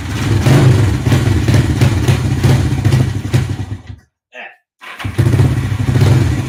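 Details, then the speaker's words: Honda CB360 twin, not started after a winter stored in a shed, first run with carburetors refitted and air filters off: lumpy, uneven fast idle that drops out and catches; needs heavy choke to keep running, owner suspects missing air filter resistance. "okay it seems to want a good amount of choke to keep it going which if i put the air filters back on that might be all the resistance i need to get the fuel flowing correctly"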